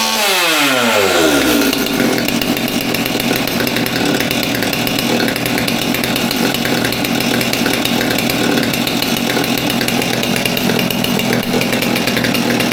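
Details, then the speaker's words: Stihl MS200T top-handle chainsaw after fuel line replacement and reassembly, choke on; previously idled fine but wouldn't rev up. Starts with a quick pull, holds a steady high buzz with no surging; runs cleanly, fuel line likely the issue. "I think that fuel line is going to help us out tremendously so all right just like that saw is put back together cleaned up a bit hopefully it runs better"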